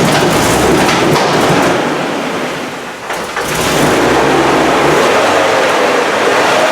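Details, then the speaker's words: GM Vortec engine project, petrol, just started after fixing the missing fuel pump ground, no coolant in it: fires and settles into a steady, even run with no knocks or misses, brief dip in revs; sounds healthy. "it's alive and you heard it that's how it was no room very well"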